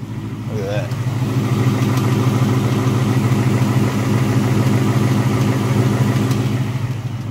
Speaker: there's the tick car hasn't run in two weeks and she's ticking away now